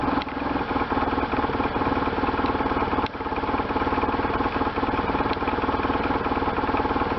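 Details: 1998 BMW R1100RT boxer twin, first start after restoration, before throttle body tuning: even, steady beat around idle with light valve clatter on top; normal running.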